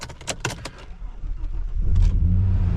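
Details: Vauxhall Omega with its likely original 2001 battery, not used for a while: keys rattle, a short crank, then the engine catches and settles into a steady, even idle; starts and runs fine.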